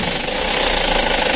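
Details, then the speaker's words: Used Isuzu Elf microbus diesel idling during pre-purchase check, recorded near the open oil filler: hard, even clatter with no puffing or pulsing blow-by; judged healthy, no sign of anything mixed in. "ini masih renyah masih aman ya Nah itu enggak ada yang ngoplos nah aman ya"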